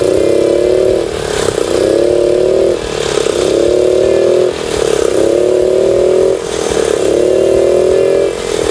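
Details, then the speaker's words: Suzuki Choinori 50cc scooter after carburetor float valve repair, NGK plug swap, power filter, regulator and tire fixes; crisp blips every two seconds rise and fall cleanly back to steady idle, revving freely: normal idle and revving. "はい。ま、こんな感じでね、非常に調子はいいです。"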